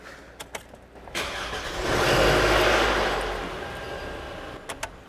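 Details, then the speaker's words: Toyota engine almost empty of oil, shutting off on turns: cranks and catches with harsh metallic clatter over rising start, then settles; VVT-i variable valve timing gears rattling, oil-starved from low oil level. "that sounds horrendous I hope you heard that really well on video because what is happening now why lisen just shut off your vvti gears variable valve timing gears ran out of oil"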